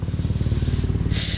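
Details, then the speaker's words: 1990 Toyota Celica GT-Four after sitting over five years, running again after a clutch slave cylinder replacement: a rough, puffing chuff on every firing pulse at idle, with exhaust blowing at the manifold or mid-section; not smoking. "Now as you can hear, there might be a bit of a blow in the manifold or the exhaust, but we can sort that out from the guy who did the Nissan Pulsar GT-IR exhaust."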